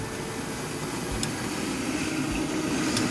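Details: Oil-burner furnace after oil pump replacement, purged and pump pressure set down to 100: steady even roar with a soft mid-pitched hum and no pulsing or sputter; the burner fires cleanly and runs normally.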